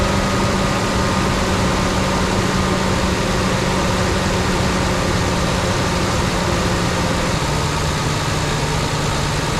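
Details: Rebuilt Ford Ranger 4.0, with a new accessory drive kit and the right water neck fitted; steady, even low idle hum with no knocks or misses, engine still cold, not yet up to temperature.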